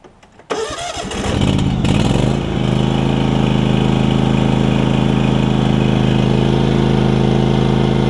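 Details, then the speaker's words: John Deere LX277 riding mower with a deck swapped in from a parts LX178: engine cranks briefly, catches within two seconds and settles into a steady, even, quiet idle with no misses or knocks; normal start and idle. "can't really ask for much more than that i think it's super quiet too"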